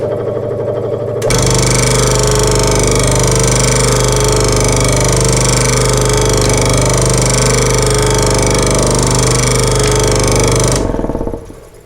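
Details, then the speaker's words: Sears Craftsman 23-inch scroll saw running at high speed, sitting unbolted on the bench: steady fast buzzing chatter from the blade stroke with only slight vibration, possibly balance or from not being bolted down; normal healthy operation. "That's obviously high. That wasn't too bad though. A little bit of vibration in it, but not much at all."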